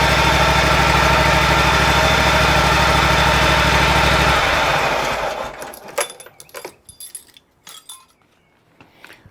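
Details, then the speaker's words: Exmark zero-turn commercial mower, Kawasaki FX651V, after oil change and new NGK BPR4ES spark plug: steady even running beat for about four seconds, then shuts off cleanly; sounds healthy. "So, I'm going to take my keys and just verify that it starts."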